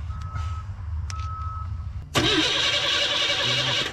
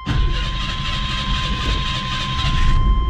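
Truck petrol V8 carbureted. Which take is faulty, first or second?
first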